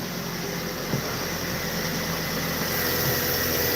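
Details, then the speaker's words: Chevrolet Aveo5 petrol engine after repair work, just started: even, steady hum at idle with no misses, stumbles or knocking; "humming right along", normal idle. "All right. Hey, we're humming right along. Sweet."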